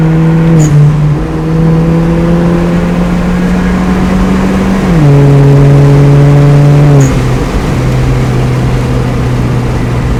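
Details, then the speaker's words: Hyundai Genesis Coupe 2.0 turbo with custom exhaust, after new fuel pump install, accelerating under load around 140: pitch climbs cleanly through gears with crisp shifts, strong, no stumble or hesitation; normal acceleration. "Sounds good. Yeah, that felt strong. Yeah. It didn't feel hesitant at all."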